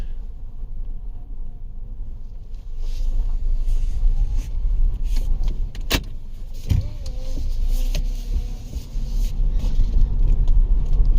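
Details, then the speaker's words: 2011 Nissan Rogue, warmed up, driving off on a test ride while running rough with check engine codes (MAF, A/F sensor, cat, evap); low steady droning rumble under road noise, a horrible wheel bearing; wheel bearing rumble. "Wheel bearing's horrible."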